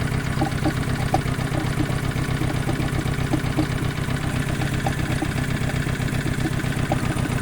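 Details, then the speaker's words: Chevrolet car that failed to start after sitting overnight, got turning by rocking it in fifth gear, and had a prior hydrolock seizure: rough idle beating about four per second with uneven pulses and sharp ticks, blowing air into the coolant; owner suspects head gasket. "it doesn't work and it makes it sound and it's blowing air in the water"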